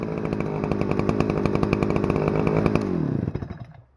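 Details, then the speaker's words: Stihl FS-250R 40cc two-stroke trimmer after carburetor rebuild, at full throttle setting high idle screw, 50:1 ethanol-free fuel: crisp, even scream held at high revs with no stumble or surging, then clean shutdown; runs properly. "Nice. Alright, well, it runs great. Boy, that thing revs pretty dang high."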